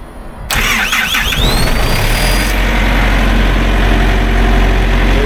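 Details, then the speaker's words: Thermo King reefer diesel unit after a belt change and full service, box at 70°F: after a delay a little click, then the starter cranks briefly and the diesel catches at once, settling into a steady, even idle. A normal start. "so once you hear that little click it's going to start up there it"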